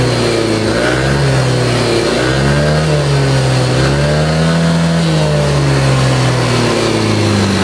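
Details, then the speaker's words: Older Yamaha Aerox 155 scooter, revved up and down: smooth when VVA engages, but a severe ticking clatter at low-mid rpm; camshaft bearings or rocker arm suspected, possibly after a late oil change. "Cuma kalau posisi di lamsamin begini nih RPM-nya, dia bunyi ngeleteknya parah."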